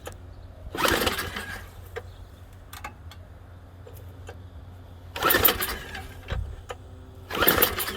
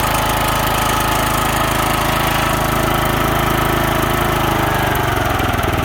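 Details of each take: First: Junk MTD snow thrower with a mouse nest under the top, a little oil and fuel that doesn't smell bad: three pull-cord yanks give brief whirring spins but it never fires; cranks, no start. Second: DR field and brush mower used as a snow machine, started in neutral: even single-cylinder putter of about 200 pulses a minute, steady with no misses or knocks; healthy idle.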